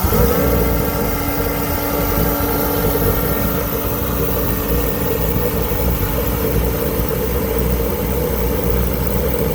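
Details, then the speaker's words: Auction kerosene heater's first start after repair and reassembly with new filters: even, steady burner roar with constant fan hum and no sputter or surging. It lit and runs normally; spec is about 3.8 psi fuel pressure while running. "Well, it lit."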